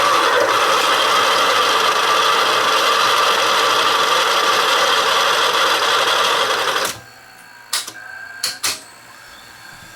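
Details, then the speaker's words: Sony VO-9800 U-matic SP broadcast VTR, about 30 years old, during rewind: fast steady rasping whir ending in a few clicks; rewind noise attributed to the tape hub, not the tape; elevator belt also slipping. "It's actually not the tape. It's the tape hub, but we'll deal with that shortly."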